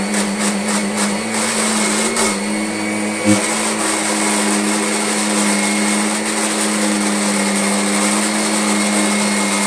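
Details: Kirby Sentria 2 vacuum with a very slack tech drive belt: steady motor whine with a brief shift and a single thump as the stroke reverses from forward to back; noise suspected from the tech drive, belt being replaced.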